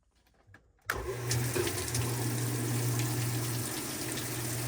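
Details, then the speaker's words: Whirlpool top-load washer that wasn't spinning or washing and hummed, body off, before agitator dog replacement; after a click motor reaches an even low hum with water draining, spinning freely without binding: normal spin and drain. "we don't have anything that's binding so the washer should Spin and whatever water's in there you'll hear it draining"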